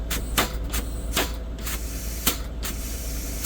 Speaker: the other reason is uh besides the ABS lights this parking brake valve has a bad spot in it as you can hear see sometimes it won't let me release it